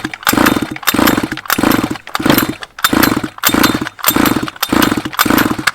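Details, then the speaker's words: 1/5-scale petrol two-stroke Baja RC car, flooded, spark plug removed: seven even pull-starter whirs about every 0.6 s with no firing, spinning the engine over to blow the excess fuel out of the head before refitting the plug. "so what's happening here is we're sending all the fuel down to the head and as we pull it it's this all the pressure is this blown all out all the fuel out"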